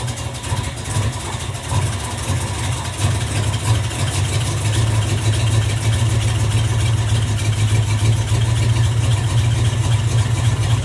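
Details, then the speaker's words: 1986 Camaro Z28 350 small-block V8, previously backfiring for the last owner, first run off the tank on a new fuel line with oil pressure and charging: deep steady burble, even rhythm, no ticks or misses; healthy idle. "All right. That's idle. I don't think there's anything wrong with this motor. It's running off the tank."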